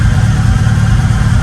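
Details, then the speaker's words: Acura Integra GSR B18C1 after Supertech head gasket and ARP head stud rebuild: heavy, low, steady idle with slight lumpy cam pulse, no knocks or misfires; exhaust leak gone. "now she sounds like she's got a cam in it turn on the lights there you go see we're at uh right she's sounding better she's she's sounding better"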